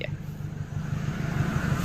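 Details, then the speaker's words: Daihatsu Gran Max after fixing inability to idle (DTC P0505, idle speed control/throttle body/TPS): exhaust puffs even and regular at steady 700 rpm idle (spec 600–700), no stumbling; smooth normal idle, exhaust now soft. "Ah, idolnya dia sudah di 700 rpm ya. Nah, untuk standar idle di mesin tersebut dia di 600 sampai 700 RPM. Oke. Nah, ini sudah standar dan suaranya juga sudah lembut ya."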